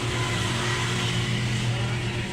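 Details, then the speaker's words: Samsung 8 kg wobble-type automatic washing machine after repair: smooth, steady whir with a low hum like an electric fan, spinning quietly; it was very noisy before the fix. "So ngayon tahimik na. Wala na tayong naririnig na ingay."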